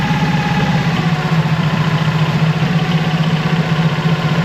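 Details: Mercury 25hp four-stroke EFI outboard after replacing the idle air control solenoid, warming up: low, lumpy idle pulsing unevenly, ready to stall; rough idle persists, cause not pinned down.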